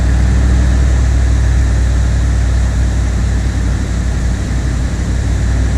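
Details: 1979 Chevrolet Corvette C3 V8 cold start at its newly set cold fast idle speed, now correct; owner notes it sounds a little different from last time despite little adjustment. Steady, even low rumble, no misses or knocks; healthy.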